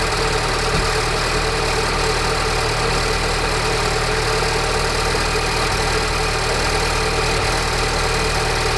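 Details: Peugeot RCZ THP 200, cold start at idle: even, busy metallic rattle over the engine hum. The tensioner, timing chain, sprockets and guides are already new, so the source is still unidentified.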